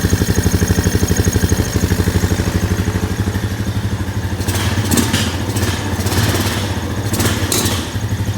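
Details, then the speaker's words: 2001 Honda Foreman 450 ES ATV after sitting, mouse-chewed wiring, nearly out of fuel: a single-cylinder thumping idle, then uneven throttle blips that stumble instead of revving cleanly; hesitation on throttle, low fuel suspected. "It's not taking throttle too too good, but like I said, yeah, it literally just barely had enough fuel with me adding a little bit to be up at the level."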